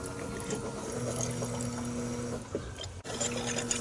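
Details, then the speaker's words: 2003 Impreza WRX engine in a 2005 Peugeot 206 rally prototype, first start attempt with the in-tank fuel pump plugged in: steady electric pump hum with light whine and watery trickle as the empty swirl pot fills and fuel primes through. "so with the fuel pump plugged in let's see if it fires up you can hear the swirl pot filling up"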